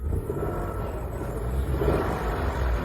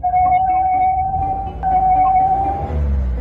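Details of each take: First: Turbocharged car, after the front parts were refitted: the engine revs low and even with the whistle that used to come from the engine on acceleration gone; problem solved. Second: Car engine revved: a clear, steady high whistle over a low engine rumble when throttle is applied, caused by carbon-fouled intake passages rather than throttle body or turbo faults.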